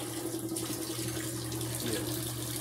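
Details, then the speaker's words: Mueller Energy 8kg washing machine, new, first wash, leveled on its feet: spin-and-drain phase throwing out excess soapy water as drum speed rises; steady low pump hum under rushing water, even and unbroken; normal spin and drain. "aí todo excesso da o sabão jogando fora aqui a velocidade aumentando os dez mais ainda girando"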